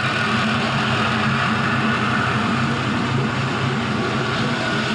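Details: Warm idle of a 5.3L Gen 3 LM7 LS V8 with 180k miles on an engine stand, about warmed up near 94 degrees with roughly 40 psi oil pressure warm. Steady, even idle hum holding one pitch with no ticks, knocks or stumbles. Normal, healthy.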